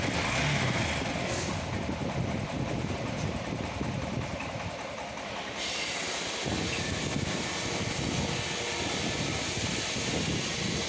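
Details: Honda SP 125 BS6 single-cylinder bike after repair of an engine noise, with the tappet adjustment checked and the top cover refitted. Even idle with a steady soft patter and no loud top-end tapping; normal idle.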